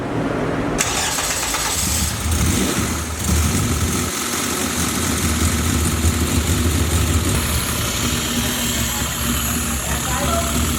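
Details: K20 engine on its first start: it cranks briefly, catches cleanly and settles into a steady, even idle with no knocks or misses. A healthy start.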